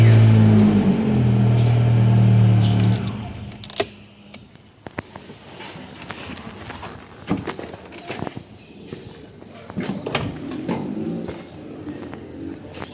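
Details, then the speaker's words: Celta after starter overhaul and battery terminal cleaning: starts much faster than before. Strong, quick, even cranking whir for about three seconds, then quiet with light clicks. Normal cranking. "a partida ficou bem mais rápida do que antes"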